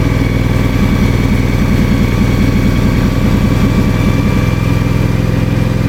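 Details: 1994 Simplicity Broadmoor mower with 16 hp Briggs single-cylinder engine, cold start on a battery probably two to three years old: quick, even thumping with no misses or knocks; a healthy cold idle.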